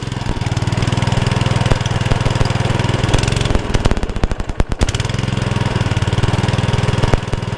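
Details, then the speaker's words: Honda Lawn Flite 553 HWS mower, choked start: small single thumps steadily then sags and stumbles before recovering; hunting not cured. Hunting idle. "looking for it to stop hunting that's your idea but it may not we may not do it I don't think we have so much certainly we haven't cured it"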